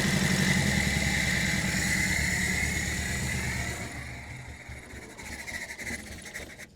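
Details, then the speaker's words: 1960 Triumph Herald dormant 42 years, first run after correcting the owner's mistake: steady, even chug of about four beats a second that fades after a few seconds; engine running. "Hey, we're running."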